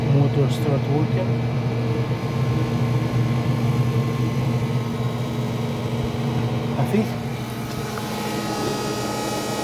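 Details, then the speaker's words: Traeger grill after control board replacement, fan spinning up: motor hum with a light, uneven ticking about four times a second; fan blade striking a loose orange wire, fixed by rerouting it. "I think I got some wiring I need to do some wiring inside cuz this noise looks like it's touching the wire somewhere let me fix this"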